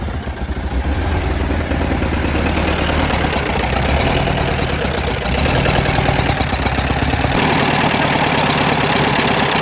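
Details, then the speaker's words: 2010 Mazda engine that arrived seized with zero oil, freed using ATF and penetrating oil, running on three cylinders. Violent, uneven clattering and heavy knocks over a lumpy, misfiring run; connecting rod failure. "yay that was violent uh alrighty friends that was one of the most gratuitously destructive things i've done in a while"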